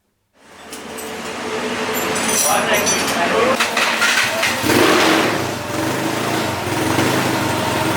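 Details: Yamaha Mio carburetor scooter freshly bored up with a 58 mm piston, first start after rebuild: catches quickly, settles into a steady, even buzz with a few light revs, no knocks or rattles; running normally.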